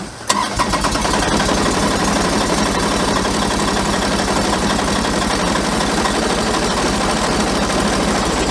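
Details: New Kubota BX23S diesel tractor, likely on summer fuel, cold start at about -30°C after -40°C night, glowed 30 seconds: quick crank, catches at once, steady clattery idle holds even; normal cold start and idle.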